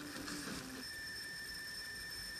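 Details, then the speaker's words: Teensy 3.1 audio board (SGTL5000 codec) at volume 100 with high amplifier gain: steady thin high-pitched whine with faint hiss, modulated down by music; cured by disabling the codec's built-in high-pass filter, leaving lower steady-state noise. "okay but here's that noise whatever that is now you can hear that noise being I guess in modulated down by the music let's go up some more less noise"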